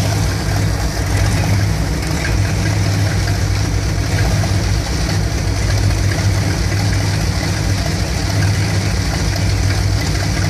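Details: 1975 Dodge B200 Tradesman van, 360 5.9L V8 2bbl, warm: deep uneven lumpy rumble with slight stumbles; still idles rough after new ignition coil, cause unclear.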